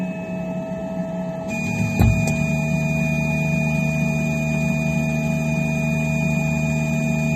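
Steady motor and fan drone, then a couple of sharp pops close together around two seconds; popping noise, cause unclear.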